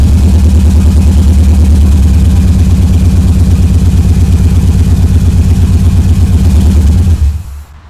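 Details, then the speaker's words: Subaru EJ22T with DOHC head swap, RobTune EJ20G ECU and 4-to-2 ignition converter, first start: heavy lopsided thump, about three lumps a second, one cylinder dead; running on three cylinders. "yeah well three is better than none make it some progress"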